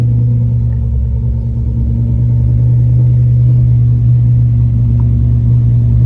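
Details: Lamborghini Murcielago after roadside repair of a blown front coolant line, run to burp the cooling system: deep, steady V12 rumble, even low drone, no knocks, ticks or misses; healthy after the fix.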